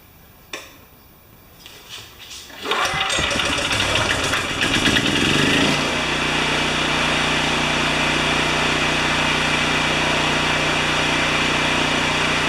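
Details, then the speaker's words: Small Mitsubishi generator that would not start, during repair with the filter off: a few pulls, then it fires on choke and settles into a steady, fast, even chug. "okay you ready it should fire it up on choke"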